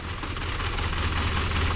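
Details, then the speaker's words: Ford Triton 4.6 V8 truck, not run in many years and started on 15-year-old gas: a lumpy, uneven, loping idle as it runs on only six cylinders. It is misfiring, possibly from the old fuel. "this old Triton 4.6, it's a V8, but it ain't running on 6 cylinders, but it's gonna run, ain't it?"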